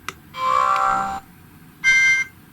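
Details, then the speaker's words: GHD Chronos S8M261 hair straightener, reassembled after teardown: with the on/off button held still, the buzzer gives two clean beeps, long then short, without the crackling rattle caused by the switch touching the buzzer. A clean buzzer tone. "but if you stop that switch from moving, that vibration from the buzzer doesn't cause that hideous noise."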